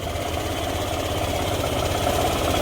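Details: Yamaha YTX 125 single-cylinder motorcycle, normally fitted with a sidecar, idling after misfire was fixed; steady even thump, no skips; idles healthy but still won't move in gear, clutch suspected.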